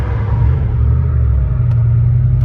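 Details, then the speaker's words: 1993 Ford Mustang Cobra turbo Foxbody, driving after a wire touching the header, which had caused a miss, was sorted: deep, steady exhaust rumble with no stumbles or skips. The engine now runs smoothly. "I'll tell you this snakes really smooth completely there and I'm sure you guys can can hear the difference"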